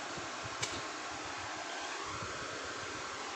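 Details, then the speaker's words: Dead Lakoni Basic 123ix welder after jumpering three pins with wire; the relay clicks. Steady airy whoosh with an even low hum and no rattle or scrape. Cooling fan now runs normally. "Oke, terdengar ya teman-teman, kipasnya sudah berputar, relaynya pun sudah bunyi klik seperti itu ya. Ini ya teman-teman, kipasnya sudah nyala. Kipasnya sudah nyala."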